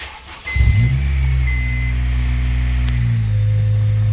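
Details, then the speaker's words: 2001-2005 Honda Civic Type R EP3, K20A2 engine, first start right after an oil and filter change, in neutral: starts cleanly and settles into a smooth even idle with a steady low hum, no knocks or ticks; sounds good. "Probably good practice now while it's running. Sounds good."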